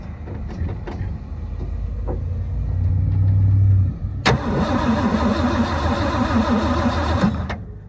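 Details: 1972 Ford F-350 auction truck, unused unknown time: starter cranks steadily about four turns per second for several seconds but never fires; spark then confirmed present and oil looks clean. Cause not confirmed.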